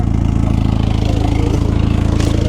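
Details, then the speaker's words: Turbocharged Nissan 350Z with VQ engine at idle: deep loud pulsing drone with raspy edge; suspected large exhaust leak around the mid-pipe. "got a big ass exhaust leak though I ain't going to lie"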